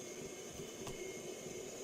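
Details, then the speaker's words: Over-40-year-old Walkman on a plug-in power supply: constant hiss with a low droning tone and no music from the speaker as the display slowly returns; owner suspects the power supply can't keep up. "Lots of strange sounds coming out of this. Can you hear that? Strange sounds. Very strange."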